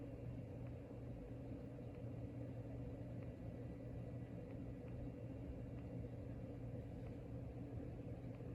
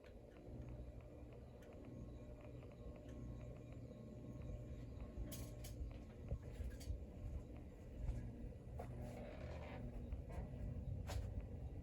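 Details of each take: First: Locke Saratoga (Evergo "banana") ceiling fan with 15-degree blade pitch at full speed: quiet steady low hum with a faint buzz, no rhythmic or scraping noise; much quieter than at lower speeds, bearing has quietened. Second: Locke Saratoga (Evergo) "banana" ceiling fan turned up in speed: constant low rumble and hum with rough gravelly undertone; worn motor bearing noise, said typical for banana fans.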